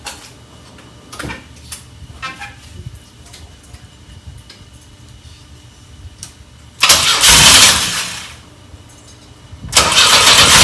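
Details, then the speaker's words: 1984 Pontiac Fiero unstarted for over 30 years, on a new battery with vacuum hoses removed: the engine catches and revs briefly twice, then dies each time. Starts but won't keep running; owner suspects the fuel pump, with the relay heard clicking at key-on. "I think uh we made some pretty good progress so far thing is running we just got to figure out how to keep it running"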